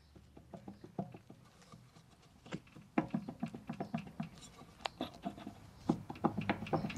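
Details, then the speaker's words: Removed anti-roll bar drop link from a 2005 Nissan Elgrand E51, split boot, held in a vice and rocked with the mic close: quick, uneven knocks with faint squeaks; worn, loose drop link ball joint causing the suspension knock. "if i do my microphone there's a sort of squeaking noise if i just put the unit in the vice i can move it and that is the noise we're getting"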